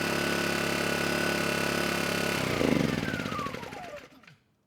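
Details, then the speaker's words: Kipor KGE 1000Ti inverter generator after refitting the airbox, which richened the mixture: it holds an even, steady note, then winds down and stops, with no hunting or surging. Smooth normal running after the fix. "And that did it. Adding the airbox did richen things up just enough so that now the engine's running smooth, both with the eco throttle on and off."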